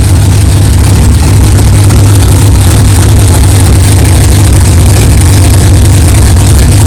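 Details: 1964 Chevelle 383 stroker V8, first fire-up after 8-month build, fresh power steering pump and carburetor, 11° timing, 63 lb of pressure, not yet warmed up: deep steady lumpy idle with even beat, no clanging or knocking; healthy fresh engine.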